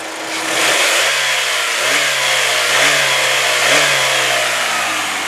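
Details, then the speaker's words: 2004 Saturn Ion 2 sedan, relatively high mileage: three quick revs to the rev limiter, pitch climbing and falling cleanly with no knocks, taps or valve-train noise; healthy engine. "Now, as you heard, I hit it right up to the rev limiter, and there's no high rev knocks, there's no valve train noise, no taps, no bangs, nothing out of the ordinary, no strange smells, no strange noises."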